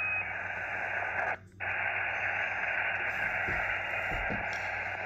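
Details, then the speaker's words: Xiegu X6100 SDR ham radio with no antenna connected: steady hiss with a fixed tone like someone tuning up and a brief dropout; suspected internal receiver spur, source uncertain. "so I that sounds like somebody tuning up and I don't even have any antenna hooked up let's wait a while and see what this is It's really strange"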